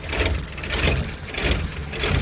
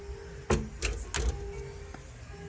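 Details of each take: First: Chevrolet Labo LPGi LPG engine, short city delivery runs, no fault codes, idling cold after long parking: rough uneven rpm, surging about every two-thirds second; exhaust valve clearance too tight. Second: Chevrolet Labo LPGi delivery vehicle, about 200,000 km, after repairing an idle air sensor wiring fault and an idle control valve with pins 1 and 3 lifted, which caused cold-start shaking: crank, quick catch, then steady even idle; normal.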